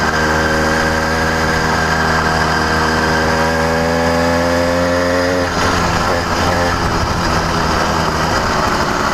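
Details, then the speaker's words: New CDH110 (true 85cc) iron-sleeve two-stroke motorized bicycle engine riding: buzz climbs then pitch wavers and breaks up, surging and bogging; sounds like air leak but none found, running lean. "so you hear it surging it sounds like it's maybe an air leak but there is zero air leaks on this motor"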